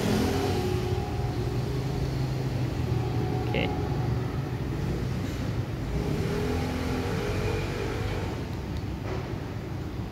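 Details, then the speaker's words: Sliding gate after replacing its four wheels and eight plates: smooth, even rolling rumble; faint light rub from the upper plate, judged not a problem; wheels now run freely. "sekarang suaranya halus sekali tidak ada suara teman sekali ini ada sedikit suara itu dari bagian atas piring atas ada sedikit suara tapi tidak menjadi masalah"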